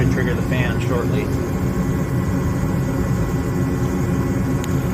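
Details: Gas furnace burners lit during heating cycle: steady low roar, no pulsing, sputter or dropout; normal burner operation, fault on this call was a flame sensor.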